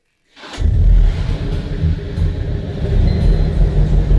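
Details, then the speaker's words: BMW E46 Compact rescued from junkyard, about 300,000 on the clock, oil leaking at block, sporty exhaust fitted; engine starts into lumpy low idle with occasional sharp pops, still popping a little but runs well. Exhaust popping. "Well, it's still popping a little, you know. Yeah, it runs well, you know."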